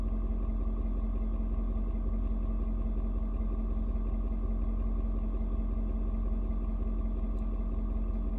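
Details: Ford Super Duty 6.7 diesel, cold start at 56°F: low, even diesel rumble staying level and settled with no knocks or hunting after tone shifts as fuel mix adjusts to outside temperature; normal cold idle.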